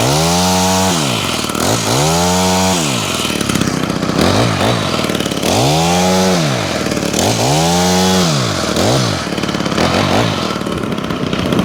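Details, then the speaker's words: Honda HHH25 two-stroke hedge trimmer after a carburetor replacement and idle adjustment: repeated blips rise and fall cleanly, then settle to a steady idle. It is more responsive, revs higher than before, and idles at a good speed. "Seems to be running okay. It's idling at a good speed as well now."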